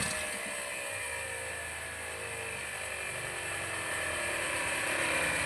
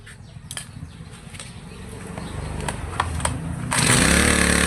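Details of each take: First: Two-stroke grass trimmer after carburetor cleaning and tuning, mixture screw backed out about three turns: high, buzzy note settling from a slight rise into a fairly even run while warming up, no misfires; normal running while warming up. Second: Two-stroke grass trimmer that stumbled on acceleration, carburetor cleaned and reassembled, mixture screw being tuned (counterclockwise richer, clockwise leaner) to find peak revs then backed off; engine hunts low then jumps to a loud, high steady scream; speed change during carburetor adjustment.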